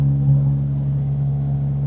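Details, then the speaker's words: £350 marketplace car driving after its worst (left) wheel bearing was replaced; a steady low one-pitch hum with no clicks or grinding, as bad as before; owners suspect the right wheel bearing, not yet changed, droning noise. "It sounds like just as bad. Yeah, it sounds really bad. Just as bad as it did before, I suppose."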